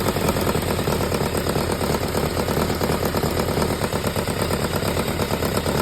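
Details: Kawasaki ZZR1100 D after muffler swap: uneven metallic chatter at about three beats a second over a lumpy idle; owner unsure whether mechanical noise or an exhaust leak.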